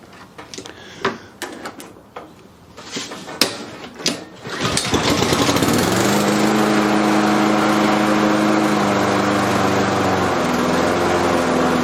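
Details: Self-propelled lawn mower test run after fitting a new blade; the old blade was worn and possibly of the wrong profile. After a few handling clicks it starts and holds a smooth, steady, even drone with a slight dip later; runs healthy.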